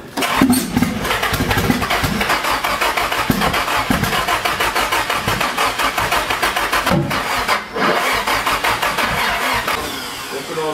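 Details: Nissan SR20DET, first start after standing 1.5 years: engine catches and runs with uneven, stumbling revs and sputters. Running rough because the start map and ignition timing are known to be set wrong.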